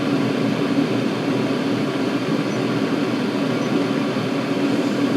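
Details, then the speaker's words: Chinese 5-7kW 12V diesel air and water heater at maximum power, about 11 V, 4000-odd RPM, after 13 minutes, drawing nearly 5 A: steady even combustion roar and fan hum, no misfires; blowing hot air, running normally. "But yeah, it really does pull like nearly 5 amps at maximum power. Still, as I say, it's blowing out nice hot air."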